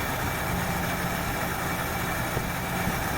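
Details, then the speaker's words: 1968 Ford Fairlane with a flooding carb idles low and slightly uneven, loping and stumbling; running way rich for too long because the choke heat line from the exhaust manifold was hooked up backwards. "so she's got a mess or two from running way rich for way too long"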